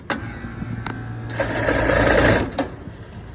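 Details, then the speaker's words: AC package unit indoor blower at high speed: sharp, uneven knocks over a low fan hum. The blower wheel's center hub spins but the wheel no longer follows it and rubs the housing, so the blower wheel clatters from a loose hub. "OK， 我仔细看了一下，发现找到问题了。它是，这个枫叶的这个中间的这个片在动，但是呢，这个轮子不跟着它走了"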